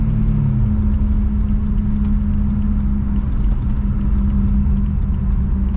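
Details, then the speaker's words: BMW M3 a week after throttle actuator replacement, driving off the freeway with the service engine light on: low rumble with irregular dips and catches, the engine stuttering and struggling under load. The cause was a failing alternator. "off the freeway oh my god total loss yeah right as i cut the video it just stuttered so hard oh my god this is terrible"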